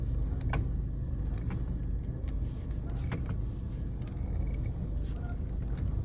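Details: VW Passat B6 driving: over steady road rumble, a few sharp irregular knocks from the front end; knocking from the steering rack.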